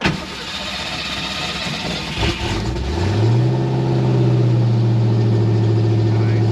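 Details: Fox body car just after a fuel pump replacement: the starter whirs briefly, the engine catches and settles into a steady, even idle at about four beats a second; normal start.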